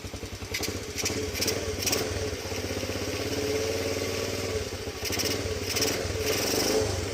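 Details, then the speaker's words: 2007 Honda CT110 after cam chain and tensioner replacement: smooth, even single-cylinder idle with a quick putter and a light valve tick, and no more cam chain noise. A healthy idle. "Sounds really smooth. And valves are definitely loose enough cuz you can hear them. Sounds really good."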